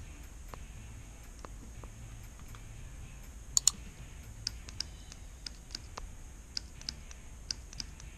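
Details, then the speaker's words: GM 4L60E transmission shift solenoid, tested with a 9-volt battery for code P0757: crisp sharp clicks one at a time, a dozen or so in eight seconds, in a quiet room; solenoid switching properly, passes the test. "connect it to the 9-volt battery it doesn't matter positive and negative and you just listen for a clicking sound"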